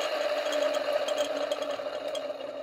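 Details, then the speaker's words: Brook Crompton 1.5 kW single-phase capacitor-start capacitor-run motor after replacing 30 µF run capacitor, switched on briefly then off: steady mid-pitched whine with faint rough, rumbly, screechy rattle easing as it runs down; noisy bearings. "I think that it's a little bit noisy on the bearings. We'll have a listen in a moment. It's a little bit rumbly, a little bit screechy."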